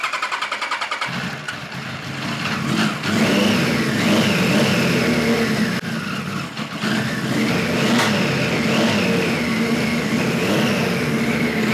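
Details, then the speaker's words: 1973 Kawasaki Z1 900 four after a float needle replacement: revs stumble and pop irregularly, never settling; points sparking heavily, owner suspects bad capacitors and an ignition fault. "yeah she does not want to run for and just the points are sparking like you wouldn't believe"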